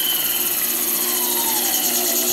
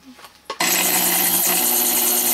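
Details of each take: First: Small brushed motor of a repaired coil winder, full speed on its foot pedal before a dimmer is added: high, steady whine with even brush hiss, running smoothly. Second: Coil winder motor slowed with an AC dimmer switch in line: loud steady buzzing hum with thin high whine, straining; motor underpowered by low voltage, likely to heat under load, no hum at rated voltage.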